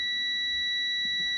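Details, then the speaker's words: Jaguar MKII reassembly wiring check: multimeter continuity test between green wire on the oil gauge/oil pressure switch circuit and another green wire; steady unbroken high beep shows the two are connected, though connector is wrongly female-to-female. "That tells me I've got a connection between those two. It's continuity, or continuity."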